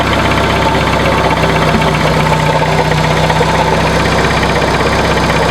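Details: 1996 Dodge Neon at idle, microphone moved around the engine bay: constant rough scraping grind over the engine, louder when revved; worn alternator bearings, narrowed down by troubleshooting.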